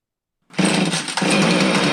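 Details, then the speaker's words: Husqvarna 450 chainsaw with erratic spark on the tester: it fires and revs but sounds ragged, missing and bogging as the throttle opens. Ignition module misfire, suspected module timing circuit; a different ignition module is to be fitted next. "we could certainly hear that it wasn't running right and it was missing and when we pulled the throttle it would just bog so we're going to put a different ignition module on here and see if that's going to fix it"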